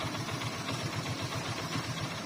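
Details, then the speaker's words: Hero Glamour single-cylinder motorcycle, block rebuilt 5-6 months ago, piston began knocking ("tan tan"); after fitting a new standard-size Usha piston it idles with an even, steady low thump and no metallic knock; the noise is gone. "अभी साउंड बंद हो गया बिल्कुल, देख रहे हैं। पहले ton ton ton ton आवाज़ कर रहा था ये पिस्टन।"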